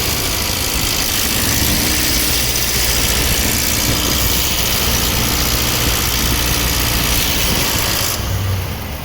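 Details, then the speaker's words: Ram Hemi, hot, only when eco mode engages, traction control off: fast rhythmic rattle over steady idle, loudest top left side, some from bottom, unlike normal lifter tick; owner suspects lifters slapping, unconfirmed. Rhythmic rattle. "Like it really does sound like lifters are slapping. Not like the normal tick that they do, but like a really fast rhythmic rattling almost."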